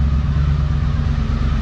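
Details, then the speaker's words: Healthy idle of a 1982 Honda CX500 Turbo started after 25 years off the road, following a new fuel pump and ultrasonically cleaned injectors; deep, even V-twin burble with a steady beat, no misses or knocks. "We done made turbo noises. Did you hear it? Did you hear how good it sounded?"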